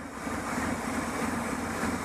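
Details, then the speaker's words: Idling engine with a faint airy hiss from a vacuum leak causing a lean condition; short-term fuel trim about 20%, long-term 16.4%, the computer adding fuel to compensate; smoke test planned. "If you hear the hissing, you can hear the engine running lean, so the computer is compensating and dumping more fuel in there, trying to keep it on."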